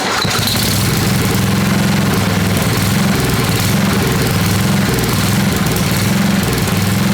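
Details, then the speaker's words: Old Craftsman 10hp Tecumseh riding mower, rebuilt water-damaged engine warming during run-in: chugs at steady idle, slightly uneven, sounding starved, then dies sooner than before; owner suspects makeshift fuel supply not high enough; plug later found a little wet. "we need to get a fuel tank on it and have proper Supply this is it's it's not high enough so it's not applying enough fuel to the system"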